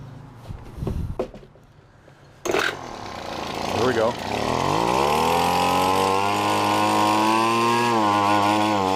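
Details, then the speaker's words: Five-dollar yard-sale gas two-stroke leaf blower after carburetor adjustment, being built into a gold prospecting vacuum: catches and settles into a fast run with slight uneven pitch wobble; still running a little choppy. "well I think that was it guys it still sounds a little running it sounds like it's running a little bit choppy there"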